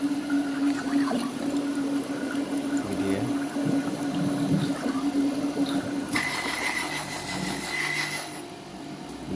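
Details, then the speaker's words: Panasonic water pump running after restoration and reassembly, water added to the outlet pipe: steady mid-tone motor hum with water rushing, no knocking; suction pulls the hand's skin firmly, so the pump is normal. Earlier shocking suspected from the ground wire lying close to the live wire. "kita taruh seperni ini tangan kita itu kulitnya itu langsung terhisap menandakan untuk pompa air ini sudah normal sudah bisa menghisap air ya"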